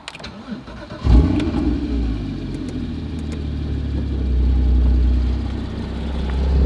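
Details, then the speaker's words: 2016 Porsche GT4, started in neutral while parked: starter catches, quick flare, then steady fairly subdued idle swelling gently; even-running, no odd noises, just quieter than an M3. "I mean, it's not quiet by any matter, but it's definitely not the M3, which, like I said, maybe that's not a bad thing. It's just different."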